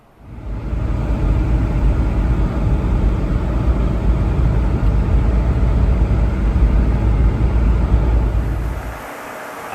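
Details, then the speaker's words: 2004 Mercedes ML500 (W163) radiator fan after overheating-at-standstill fix: strong steady rushing roar at high speed, no rattles or surging; A/C on, about 95 degrees ambient, fan healthy. "the problem has been fixed this thing is blowing some serious air right now you can hear it moving really fast"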